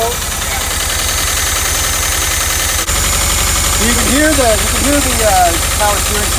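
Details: VW Vanagon Westfalia after sitting, brought back with new spark plugs, air filter and battery: steady low chugging idle with an even rhythm, voice or music on top; engine running normally.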